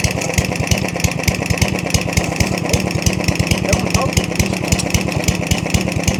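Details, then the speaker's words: Yardman 139cc OHV mower with 3mm-drilled jets, knocking: heavy irregular thumping about three firings a second that labours and stumbles when load is applied; engine bogging under load. ">> Why is the torque helping it? >> It doesn't like it. >> You don't like it at all."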